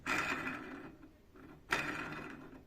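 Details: Honda Titan 160 camshaft bearing spun by hand after removal: two rough gritty whirrs fading over about a second. Pitted, worn bearing, which caused clicking when cold that grew louder; fix is new bearings plus valve adjustment.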